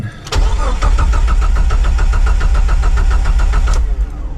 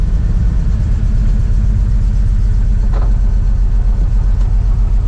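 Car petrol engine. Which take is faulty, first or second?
first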